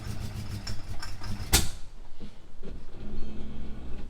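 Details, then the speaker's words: V8 reversing up a driveway hill; the gearbox is fine. A lumpy, uneven beat surges and sags as it climbs. The engine is bogging under load and needs tuning (plugs, timing). "Yeah, I know, it's not liking being under load, but we do need to tune it with some plugs and all the rest of it, some timing."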